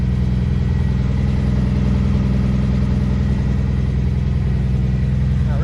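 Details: 1964 Plymouth Belvedere slant six with a Holley two-barrel carburetor, barn-stored for decades, new coil wire: steady low idle, an even beat about three pulses a second, no misses or knocks. Normal idle.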